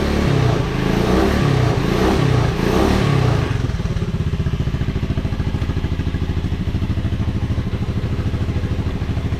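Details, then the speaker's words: 1986 Honda Fourtrax 125 after carburetor cleaning: a few quick revs, then a steady, even single-cylinder putter at idle with no misses; normal revving and idle. "road yeah that sounds great though"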